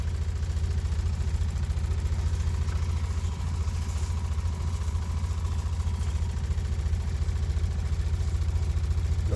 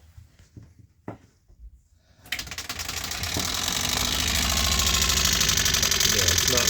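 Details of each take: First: 2017 20ft Airstream Flying Cloud water pump after IRVWPC2 pressure controller install holding about 40 PSI instead of 52-55: low even hum with soft steady pulse, no rattle; pump running quietly, much better than before. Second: 2017 20ft Airstream Flying Cloud water pump just after an IRVWPC2 controller install (set to hold 40 PSI instead of 52-55): green light blinking, but a fast steady chatter, pump cycling and rattling instead of running smoothly; cause unknown, owner tries another pump.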